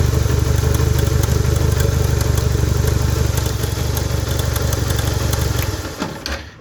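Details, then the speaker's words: Honda 160 engine (Bros 160/Titan 160) with the cover open: fast, busy clatter over the idle thump, fading at shutdown; cam chain slack with its guide vibrating, chain slapping from a bad tensioner: cam chain tensioner rattle. "corrente de comando batendo mas o problema é o tensionador esticador tensionador"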